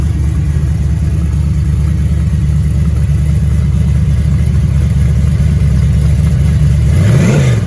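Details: Rebuilt 6.0 LS V8 on a run stand, fed from a 5-gallon bucket fuel cell with a Silverado pump, after the new AC Delco crank sensor was swapped for the original GM one; loud, steady, deep rumble with a short blip near the end, running healthy.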